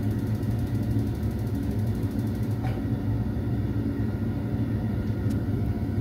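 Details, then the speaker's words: Ideal Mini HE24 boiler: fan hums steadily and igniter clicks a few times but burner never lights because the gas supply is turned off; lit once gas was turned on. "the gas is turned off that's why okay so we'll turn the gas on"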